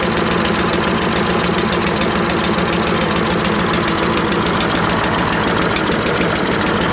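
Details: Troy-Bilt 12AV566N011 mower after float bowl and main jet cleaning: steady rapid even firing, no stumbling or surging; running smoothly, normal.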